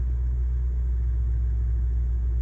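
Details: 2013 Mercedes-Benz GL 450 idling after its crankshaft position sensor was replaced to cure hard and no hot starts: a smooth, even, steady low rumble with no misses, knocks or ticks, a normal idle.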